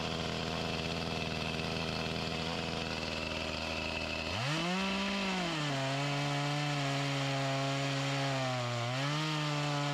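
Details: Echo CS-352 chainsaw with a start-then-die complaint, before repair, cutting wood: steady high scream, then the pitch drops hard and wavers; bogging and lacking power from fuel starvation even with the mixture screws adjusted to max, suspected fuel line.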